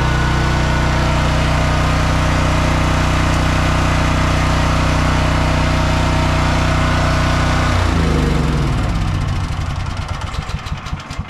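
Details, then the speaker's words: Home Depot portable generator (30 A at 220 V) feeding a house through a 14-50R outlet hums evenly with a constant beat for about eight seconds under household load, then winds down; running smoothly. "refrigerator is running everything's good the generator you can hear it humming in the background"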